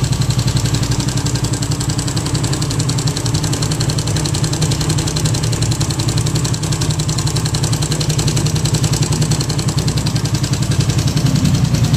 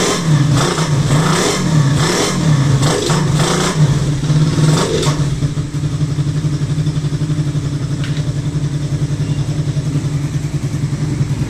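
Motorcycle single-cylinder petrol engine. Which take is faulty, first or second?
first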